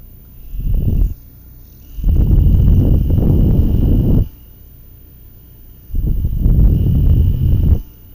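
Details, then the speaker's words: Noisy CPU cooling fan run from a 12V adapter: rough, rattly growling bursts, as if the shaft is not turning smoothly, a dry bearing. "変な音が聞こえるの分かります軸があまりスムーズに回ってないような感じの音でまぁcpuファン自体そんな大した金額じゃないのでほとんどの人が退会すると思うんですけど"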